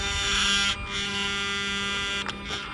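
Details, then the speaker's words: Mercedes SL600 repaired throttle bodies with ignition on, engine off: steady high electric hum with fine buzzy overtones and brief stepped changes as throttle motor moves through self-learning; normal. "It always does learning. There goes the learning."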